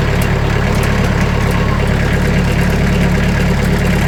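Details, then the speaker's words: Sawmill engine at idle with the blade tensioned to about 500 psi, before damping sheets are applied: a loose buzzing metallic rattle from the thin sheet-metal doors over a steady idle. "You can hear the rattle, and you can see the rattle right here. So you can kind of hear everything."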